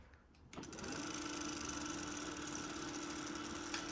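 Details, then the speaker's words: Bafang BBS02 mid-drive motor with the brake sensor disconnected spins with a smooth, even whir and steady mid-pitched hum and no knocks; it runs normally here, while the owner reports knocking only under load before reaching speed. "so that's running normally. I've disconnected the brake sensor."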